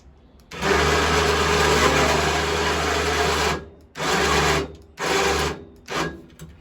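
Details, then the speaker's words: Small electric winch, rated 900 lb, on an older Kawasaki Mule 550 UTV, working after a wiggle fixed a power connection: motor whirs in short runs with a gritty, crunchy rasp over the hum, gears sounding rough under load. "Oh, that sounds crunchy. Goodness."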